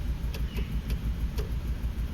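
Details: Suzuki Grand Vitara running rough with no fault codes in any module; short-term fuel trim 14–17%, MAP 45. Lumpy idle with a steady rhythmic stumble. A compression test finds one cylinder low, a mechanical cause of the misfire.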